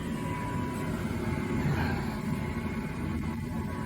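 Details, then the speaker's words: Gas furnace switched to heat at the thermostat, with the setpoint raised several degrees above 68 so it fires: a steady, low burner roar with no popping, rumbling or rattles, and a blue flame. Normal, clean gas furnace burner firing. "you can hear it running and after a few minutes you'll see a kind of a fire it'll go okay now you hear you can hear the fire"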